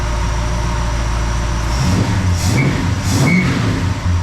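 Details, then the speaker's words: 1969 Plymouth Fury III, Holley fueling changes, warm idle after 15 minutes from cold in the shop, about 840 rpm with 20 inches of vacuum: steady low rumble with a couple of light blips, no misses or knocks; sounds healthy. "All right, it's been 15 minutes. Currently it's about 840 RPM. Still getting 20 inches of vacuum."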